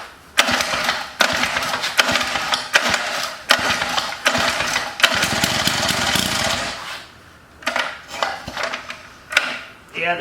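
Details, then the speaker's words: Antique Lawn-Boy edger on its first start, with old fuel: short, uneven firing bursts with a raspy, scraping buzz on top. The dented fan cover is hitting the cooling fan. "sounds like the fan sitting on here oh yeah look at it it's kind of dented in it smell old fuel"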